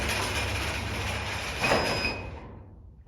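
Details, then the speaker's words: Automatic garage door after limit recalibration: rattling, rumbling closing run ending in a firm bang as it hits the floor, down limit set too low, needs readjustment. "that's got a bit of a bang to it as you heard so that needs a slight adjustment so we're going to have to do that again"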